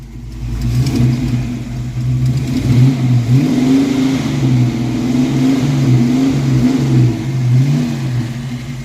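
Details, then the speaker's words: Ford 302 V8 in a Mustang project car, after valve adjustment and with a number-eight spark plug wire suspected, now revs up and down cleanly with a steady beat and no stumble or popping; the earlier miss is gone, though the idle is slightly choppy. "maybe it was just that spark plug wire giving us trouble on number eight but it's running a little choppy it's not running smooth but it is revving smooth rev it up a little"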